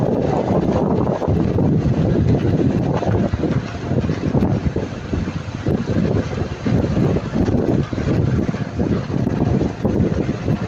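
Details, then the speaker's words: Lada Niva Travel about 1,000 km after a DIY fix for rattling front brake pads, with the clip filed down, driven on an uneven dirt road. Tyre and suspension rumble with dull bumps but no metallic clatter from the front brakes; still no pad rattle. "проехал я за это время 1.000 Ну 1.00 может 1.00 км и насколько я ощущаю до сих пор не гремит"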